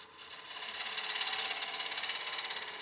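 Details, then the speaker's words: Wood lathe push cut with gouge on partially seasoned (about 15% moisture) Claro walnut bowl: hissing cut turns into rapid fluttering buzz at the corner as tool overhangs the rest too far; chatter, fixed by adjusting tool rest. "there getting a little bit of chatter as that Tool's getting further and further over the rest right here on the corner so I'm going to stop that cut and adjust this just a hair"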